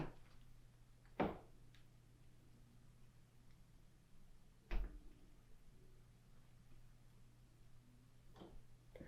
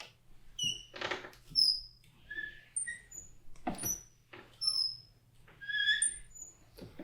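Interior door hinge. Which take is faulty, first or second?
second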